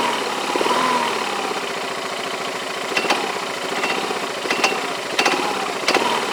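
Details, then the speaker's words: Yamaha Majesty scooter idling at about 1100-1200 rpm: uneven idle with scattered sharp metallic clinks every second or so; clanking from the CVT clutch area, owner unsure if normal, suspects the clutch, belt or roller weights. "it's like metal-on-metal but that sounds like smelling metal-to-metal what does normal I don't know I don't that's normal or not but that's the noise I hear"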